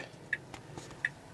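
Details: Tesla after a steering-wheel two-button reset fixed missing audio: two crisp, clear blinker ticks about three quarters of a second apart in a quiet cabin; turn signal sound restored and normal.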